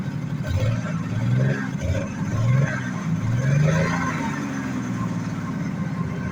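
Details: 1986 Jaguar XJ6, unstarted for two years, after fuel pump change and refitting parts: low steady idle rumble with voices in background; starts and holds idle fine.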